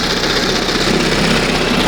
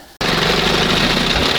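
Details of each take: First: 1971 Johnson 20 hp two-stroke outboard restarted with throttle just past the first mark after idle mixture and stop-screw adjustment: even, buzzy low idle with steady firing, no misses, then shut down; normal idle. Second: 1971 Johnson 20 hp two-stroke outboard, mixture screw turned way out lean during carburetor adjustment: loud raspy sputtery run with no steady beat; mixture too lean.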